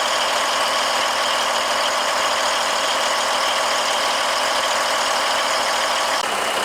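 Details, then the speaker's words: Heavy-duty truck diesel after a DIY fuel filter change and priming to bleed air from the fuel lines; a steady, even idle with no misses or knocks over heavy hiss, sounding healthy. "Looking and sounding good. It sure is."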